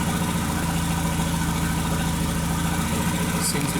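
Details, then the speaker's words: 2001 VW Jetta Wolfsburg 1.8T (180 hp), bought non-running with a previously tampered engine harness, idling: uneven, stumbling beat with skipped firings over a low hum; scanner shows random misfire plus cylinders 2 and 3 misfiring (P0300, P0302, P0303). "so we have random misfire and cylinder number three and still the number two misfire fifteen and sixteen and we receive misfires"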